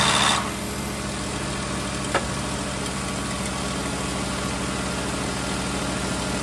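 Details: 2009 VW Rabbit 2.5 five-cylinder (07K), manual: loud, rough idle with harsh mechanical clatter after rapid oil loss from a leaking vacuum pump; engine shut off, pump later tightened and oil added.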